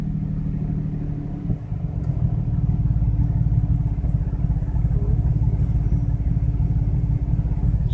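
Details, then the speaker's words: BMW 335i cold start morning after spirited driving: deep lumpy idle, about three stumbles a second; cylinders 4 and 6 over rough-running limits, smoke and fuel smell, cylinder 6 plugs and coil already replaced. "Cylinder 4's gone over the limits for rough running. Cylinder 6 is way over the limits."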